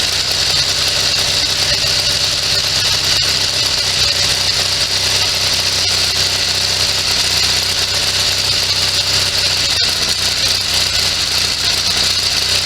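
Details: Sears SS16 garden tractor with Onan twin-cylinder engine, revived after sitting several years, fed from a temporary gas tank: runs at constant speed under lots of hiss, no misses or knocks; running normally.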